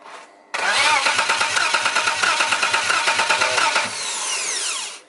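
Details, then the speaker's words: BMW E90 with turbo M52 engine, BorgWarner twin-scroll turbo, cranking at first fire attempt: even starter churn about three beats a second, never catches; no signal to the coil packs. "you have no signal no signal for the for the coil packs"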